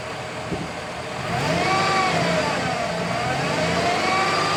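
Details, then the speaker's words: 2007 GMC truck: thin high whine rising and falling with engine speed over idle, constant and louder on acceleration, from the lower front of the engine; owner suspects harmonic balancer or water pump, unconfirmed. "it really sounds like it could be the harmonic balancer but can't rev it up right now because I don't have an extra purse with me definitely wines"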